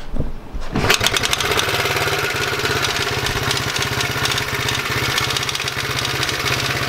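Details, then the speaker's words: Honda Z50R after top-end rebuild for low compression, started cold and low on fuel: fast, uneven idle with a loose metallic rattle over the firing beat; rattle source unidentified. "not really sure what that rattle is"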